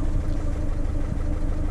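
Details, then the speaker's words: Ford Fiesta 1.4 TDCi diesel on jump pack with very weak battery, goes into limp mode: lumpy uneven idle with stumbles, whole car shaking; rough idle misfire, at least one cylinder not firing, injector on cylinder two suspected. "don't know if you can hear it but it's the whole car's kind of shaking and yeah it's running really really really quite rough"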